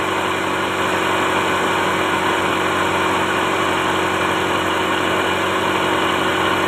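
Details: Toyota Starlet (kotak) at idle during a timing belt check; the belt shows no play and sits centered, judged okay: smooth, even idle with a steady hum and no ticks, slap or chirp; engine and timing belt healthy.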